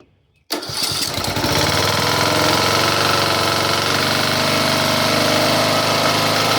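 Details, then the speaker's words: Briggs and Stratton engine on a John Deere tractor that idled rough and ran rich from an incompatible cam. After the correct cam, new valve seats and valve recalibration, it catches at once and runs loud, steady and even, not on low: normal running. "So here I'll turn everything on, and you can hear it running with no issues. It's not on the low here."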